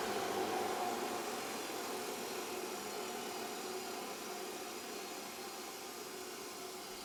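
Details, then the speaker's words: Old Nelswell grinder made by J&D at startup: high, steady hiss slowly winding down with a faint regular clicking about four times a second; cause unclear. "you can hear that clicking noise"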